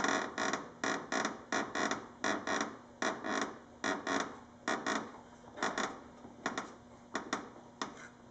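Repeated dry creaks in short bursts, a bit over one a second, over a quiet hum; the front bumper cover is creaking.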